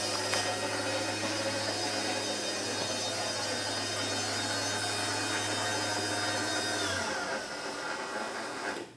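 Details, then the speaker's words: Chamberlain 8550 garage door opener run with the door disconnected: steady motor hum under a constant high squeal, consistent the whole way up, stopping with the motor; first thought gear grinding, judged to be the belt needing grease; belt squeal. "so that for sure is definitely the belt because it was like really consistent the whole way up so that's the belt"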